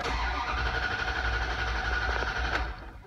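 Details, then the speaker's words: Dodge/Chrysler/Jeep with "no bus" odometer reading after stalling on test drive: starter cranks steadily about four turns a second for nearly three seconds, never catches; suspected shorted 5V reference circuit from PCM, not confirmed. "if you are getting a no bus reading on the odometer and your Dodge or Chrysler or Jeep is not starting"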